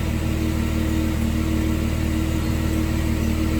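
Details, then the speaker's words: Jeep during a rebuild, with new relays and the old O2 sensors refitted, idling at about 750–800 rpm as it warms, with good oil pressure. Recorded at the tailpipe: smooth, steady low rumble with an even pulse and no misses or rattles. The exhaust sounds healthy. "It sounds pretty good back here at the exhaust."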